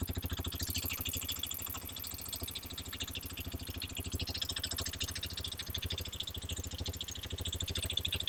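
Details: Hero XPulse 210, bought January 2026, about 500 km, mic placed near engine/silencer at startup: steady even single-cylinder thump at idle, roughly three pulses a second, no tappet ticking on top; healthy exhaust note, normal idle.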